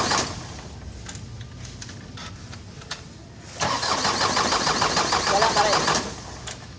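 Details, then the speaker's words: Isuzu 4HL1 diesel, won't start after sitting one day; fuel pump primes firm: starter churns evenly for a couple of seconds, never catches. Crank no-start; suction control valve (SCV) on the pressure pump suspected. "So ayaw pa rin umandar siya guys."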